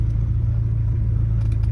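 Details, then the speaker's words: Rover P4 80 after carburettor tune, still slightly cold with choke off: low, steady idle rumble with even beat, no misses or surging, quieter than before when it ran rich with high idle; normal idle. "so i'll just move forward a bit so you can hear it when it's running so it's just nice and smooth it's not as extreme and loud as it was before"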